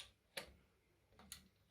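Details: AEG Ceran hob/cooker switch after it was adjusted once cooled down: three crisp, distinct clicks under a second apart in a quiet room; the switch contacts engage cleanly, normal.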